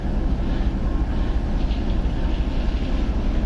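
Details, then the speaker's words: TEP70 0237 diesel locomotive, V16 diesel, during a start after repair with the engine not yet warm, about 2–3 minutes run, compressor not yet on. A low, steady, even rumble that idles quietly with no knocks, and slight smoke. "Работает как тихо. Красиво. А дымочек небольшой есть."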